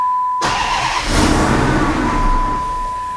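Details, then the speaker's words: Twin-charged Hemi first start after a year of work, cam timing straight swap, extra fuel added to startup base injector: catches with rough uneven burst, sags and struggles, barely keeps running; starts but will not keep running, needs tweaks. "well it runs for a moment longer actually guys obviously it just barely runs"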